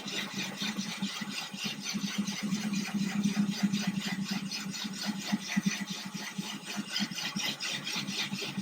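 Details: Ryobi drill with a diamond core bit cutting a thin-glass 10-gallon aquarium, water-cooled, slow gentle pressure, no cracking or splintering seen: a steady grinding drone with a soft pulse about twice a second, no sharp cracks. Normal even cut.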